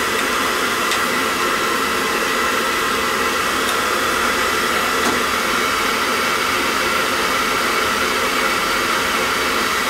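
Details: Riello oil burner on a triple-pass boiler reported cycling on and off, small nozzle, 0.50–0.95 GPH: even, steady roar of flame and fan with no pulsing or cut-outs; burner firing and staying lit normally.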